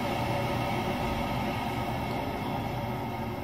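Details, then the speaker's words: Worcester Greenstar 30 HE gas boiler set to minimum fan speed for CO2 emissions check: even fan whoosh with steady burner roar, easing lower in pitch as it slows to minimum speed; sounds healthy. "can hear it going slower and slower so that's going down to minimum fan speed on this setting the emissions should be 8.8"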